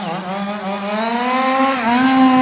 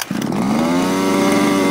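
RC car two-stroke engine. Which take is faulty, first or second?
second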